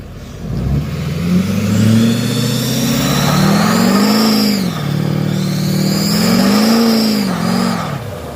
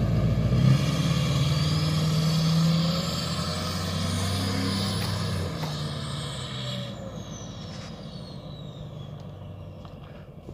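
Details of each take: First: 2007 Duramax LBZ diesel truck, tuned, SDP deleted, MBRP 4" exhaust and downpipe: a high screech rises and falls with revs on every pull under boost; exhaust leak confirmed at the up-pipe gaskets. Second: 2007 Duramax LBZ diesel, tuned, SDP deleted, MBRP 4" exhaust, after replacing up-pipe gaskets: revs up and settles with an even, steady beat, no hiss or whoosh of escaping boost; runs normally.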